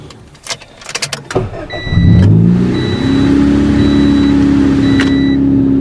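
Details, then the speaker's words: 1995 Honda Civic DX 1.5L after head and head gasket replacement, timing belt marks aligned. Brief cranking, catches, rises to fast idle and holds a steady even hum: normal test run, starts and runs cleanly. "the test run was successful"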